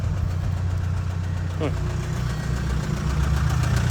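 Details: Jaguar Land Rover Ingenium engine with excessive blowby, suspected spun bearing: steady idle with a faint, fairly regular knock beneath it, roughly 200 a minute, sounding like a worn rod bearing.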